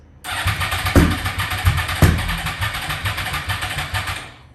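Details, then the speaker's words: Wrecked 2010 Yamaha R1, not run for a couple of years since an accident, cranking on a swapped battery. The starter spins the engine in uneven bursts with heavier thumps but it never catches; owner suspects a seized motor. Crank, no start. "not sure if maybe the motor is really seized up it seems to be like it's it's trying to turn over so we're gonna keep trying here"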